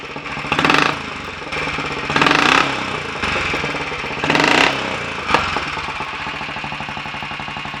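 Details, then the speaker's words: Royal Enfield 500 Bullet, first start after top-end tuning (ported head, reseated valves, new guides, high-compression piston, retarded inlet cam, new rings): steady single-cylinder thump at idle with three crisp, clean throttle blips; healthy running. "sounds like it means business very promising"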